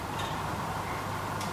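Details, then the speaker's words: Ford XC Falcon 351 Cleveland with hydraulic lifter cam and roller rockers, engine off with plugs out, setting valve lash: two light clicks as the pushrod is rocked, showing free play before 1/8-turn preload. "And then we get the push rod and move this up and down until there's no more resistance. So you can hear it there."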